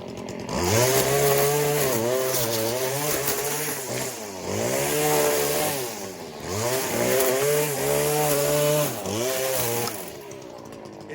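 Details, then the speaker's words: Stihl FS 40-C two-stroke string trimmer at full throttle cutting Bermuda grass: strong high-revving wail dips and recovers under load, clean with no burbling; enough torque and power. "Now it won't do that when you're in grass. That means it's getting enough torque, it's getting enough horsepower."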